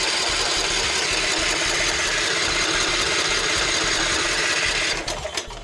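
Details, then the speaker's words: Troy-Bilt XP Horse lawn tractor with a swapped-in engine, started from a jumper battery. It fires and runs with a rough, fast chatter for about five seconds, then dies; a suspected fuel supply problem. "it sounds good. She cranks good. She obviously does run. So, we got we got spark, but it's like we're running out of fuel too quickly. Like, we're not getting enough fuel in there."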